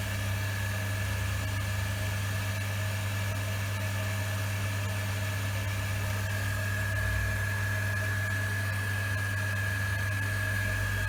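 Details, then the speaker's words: Workshop rainwater recycling pump on polystyrene stand, running while toilets are flushed: steady, very quiet hum with faint even tone, no surging or rattle; running smoothly and healthy. "I just push both toilet give it a good run it's very quiet nice and quiet now"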